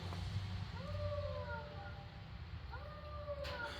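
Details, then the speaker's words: Van torn down for cam work: faint wavering howl rising and falling in pitch; squeal suspected from the water pump, unconfirmed, owner considering replacing it. "but I might be replacing the water pump listen I never heard a water pump that sounds like a"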